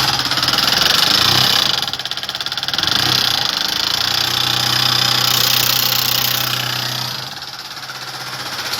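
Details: 150 cc motorcycle with electronic fuel injection: sharp metallic ticking about three times a second over the running engine; valvetrain noise from a broken rocker and worn camshaft.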